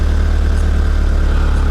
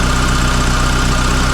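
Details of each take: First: Mitsubishi Lancer CE engine after reassembly with coils pulled and refitted, idling after a failed first start attempt; strong, low, even idle rumble with steady beat and no misfire stumble, now sounding much better, a normal smooth idle. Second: Mitsubishi Lancer CE idling after start, fast idle settling down: steady low idle with quick even pulsing thump and an extra unidentified noise underneath; source unclear.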